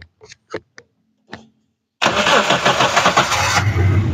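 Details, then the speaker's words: Daihatsu Taruna CX, 2003, used car for sale, engine bay open, new battery: a few clicks, brief crank, starts at once and settles into a steady even idle with no misses; engine still original and leak-free. "oke sekali cek langsung cegur ya teman-teman mantap"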